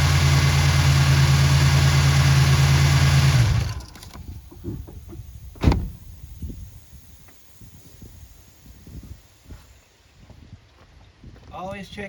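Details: GM 3800 Series I V6 (1986-92 Buick/Oldsmobile/Pontiac) just after replacing a leaking oil pressure switch, leak check: steady, even idle hum with no squeal or knock and no leaks, then clean shut-off; runs healthy.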